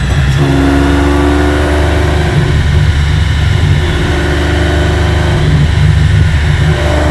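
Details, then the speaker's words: Aston Martin V12-swapped Foxbody Mustang on a dyno, getting warm, at full throttle during a tuning pull: loud steady drone wavers and briefly breaks up mid-pull like hitting a wall; suspected soft limiter or safety cut, unconfirmed. Full-throttle stumble. "All right, so the Mustang is hitting like kind of a brick wall in the tune anytime he's full throttle. If he's trying to like power through it and whatever, you can hear it. It's like some kind of either soft limiter or safety"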